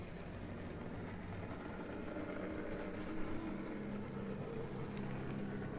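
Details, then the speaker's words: Used Lima BR218 model locomotive, gears cleaned of fluff: quiet wavering whirr with a rough gear buzz as it runs; still noisy, new gears needed. "It's still a bit noisy. What I need to do is buy a new set of gears for it. So we'll run it anyway. Like I say, I'm not happy with the noise it makes, but there we are."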